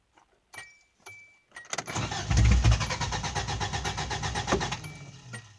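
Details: Subaru EA82 engine: key clicks, then about three seconds of steady cranking near three beats a second that never fires, cranks but won't start.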